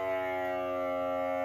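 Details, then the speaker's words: FXTUL F703 smoke leak detector pump with its outlet plugged off to show back pressure building, before smoke is turned on: steady, strong, even buzzing hum without surging; pump running against blocked outlet. "and it's showing the amount of back pressure that's building currently, and let go of it."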